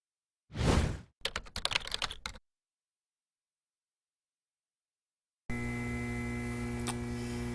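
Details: Alita 60 linear air pump (60 L/min, replacing an Alita 6) feeding a fish-room central air system: clicking and clatter, then a steady low electric hum with faint buzz; pump sounds normal.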